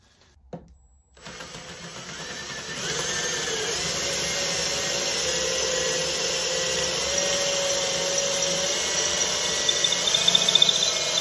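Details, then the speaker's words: Cordless drill boring a long deep hole through stacked wood boards, not quite through: steady high loaded whine growing rougher with scratchy crackles as debris builds and the bit rubs against the cavity walls; pulled out early to clear debris. "So when you have a long hole to go through like that, as you get deep down into it, there's going to be debris and the bit's going to be working harder, and some of that noise is, you know, the bit rubbing up against the cavity it's just made."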